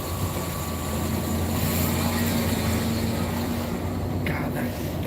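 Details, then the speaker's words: Steady whine from a passing truck over road rumble; driver suspects its transmission is failing. Cause not confirmed. "that truck behind me it's transmission is failing i don't know if you could hear it but that thing was whining like a it was all like"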